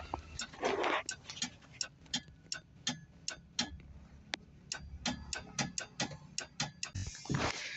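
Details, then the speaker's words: Tata Nano with starting trouble, sound from under the seat with key on and starter engaged: rapid sharp relay clicks, several per second, engine never turns over; relay gets supply, suspected poor wiring or connection on its separate battery feed. "जैसे कई बार हम चाबी on करके self लेते हैं तो केवल इसके रिले के ऑन होने की आवाज आती है पर यह स्टार्ट नहीं होती है"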